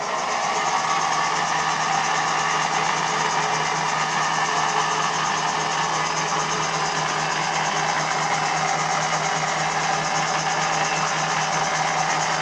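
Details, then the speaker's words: 1958 Meddings Pacera M4 drill press, 550 W three-phase 415 V motor on a 2 kW Mitsubishi inverter, after shaft repair: constant, even motor hum with light steady hiss, no knocks or wavering; running normally. "So as I say, it's running 415, and of course it's running on a Mitsubishi inverter."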